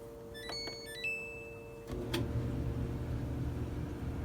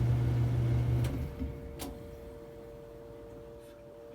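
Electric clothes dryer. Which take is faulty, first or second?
second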